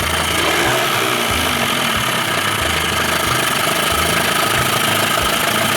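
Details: 2000 Johnson 25 hp two-stroke outboard on 13' Whaler, lean sneezing earlier; after resetting butterfly to timing marks and new used ignition parts, finally idles with steady even pulsing beat, though still a little sketchy; normal idle.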